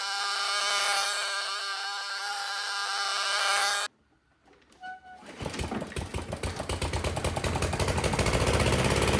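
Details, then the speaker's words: Toro mower with Briggs & Stratton engine 104M02-0010-F1, after reed valve replacement fixed oil leaking through the air filter; chugs at about three beats a second, picking up unevenly. Rough running, carburetor issue suspected. "The motor itself's not running very well. Um, that sounds like it could be a carburetor issue, which is something I'll cover in a diffe"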